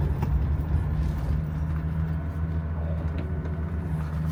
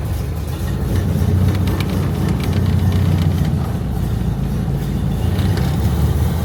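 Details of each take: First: Old Mercedes-engined car with M110 engine, start and idle: catches and settles straight into a low, steady, even hum with no knocks or misses; normal start and idle typical for this engine. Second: Barn-stored classic Corvan, carbureted with choke and a driver-adjustable main jet mixture: starts nicely and runs with a steady, slow, even low-pitched idle with no misses; idle RPM slightly low and needs raising.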